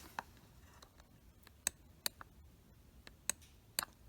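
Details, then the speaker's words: 2008 Mercedes C300 (W204) driver seat control switch, moving seat forward: crisp sharp contact clicks spaced about a second apart in a quiet cabin; switch making clean contact normally (known fault is backrest won't move forward). "So first of all, if I move back, listen really carefully, the sound that the switch makes clicking and making the contact. So that's the movement back."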